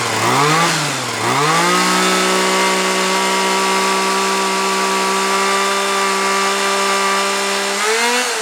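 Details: Titan hedge trimmer two-stroke, glued back together, warming up: steady even buzzing that blips with throttle then holds a clean stable pitch, getting better the longer it runs; normal running.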